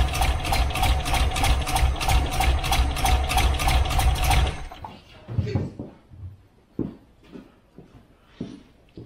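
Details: Wolseley 18/85 BMC 1800 Landcrab after sitting for years: runs steadily about four seconds on hand-filled float bowls, then stops dead with only clatter after; fuel starvation, fuel pump suspected weak.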